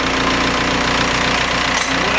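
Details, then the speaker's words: Steady diesel clatter at idle with even knocks on a VW TDI ALH engine with Bosch injection pump; tone shifts as pump bolts are loosened to adjust timing, injection quantity reading above 9 instead of about 3. "so I'm back at the vehicle and I will undo these bottom bolts I will slightly loosen them can hear the change in the"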